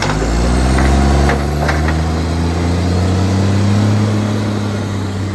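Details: Ryde Recycling SL757 garbage truck, in its 11th year of service, on its collection run: deep diesel idle with a raspy, puffing edge: exhaust leak.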